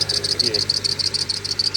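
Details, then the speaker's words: Fast, steady high-pitched chirp right after start-up; the belt is suspected, or possibly a rotating pulley below it, not confirmed; engine oil applied as the fix. "ये वाली जो आवाज़ अभी आप सुनाई दे रही होगी आपको, ये जो आवाज़ है तो ये बेल्ट की भी हो सकती है।"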